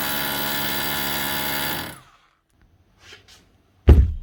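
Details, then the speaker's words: Makita HR2630 SDS+ drill after rebuild with fresh grease; fast even buzzing hammer blows for about two seconds then spin-down, normal hammer action. "and that's her up and running again the way she should be hammering like a new machine"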